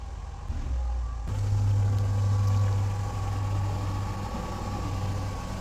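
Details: 1998 Mercedes SLK230 R170, M111 Kompressor, after fixing idle hunting, limp mode and throttle response: steady even idle, low smooth hum, no knocks, hunting or stumbles; engine healthy.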